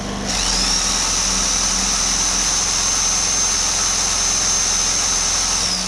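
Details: Homelite HG600 generator, after fuel pump clean and new gasket set, started on choke: revs up to a steady high buzz, holds evenly about five seconds, then winds down; normal running.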